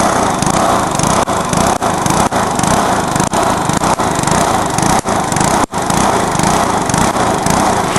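Small engine screaming flat out with ragged dips about twice a second, stumbling under deliberate nitro over-revving until it lets go.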